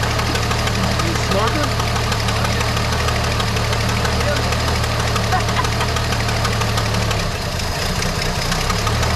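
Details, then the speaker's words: Barn-find 1973 Dodge Dart Swinger, 225 slant six, first start in 29 years on gas squirted into the intake after freeing a locked engine: even, steady low drone fading near the end as fuel runs out; no knocking. "now wow sounds really good that's awesome [Applause] all right so it runs"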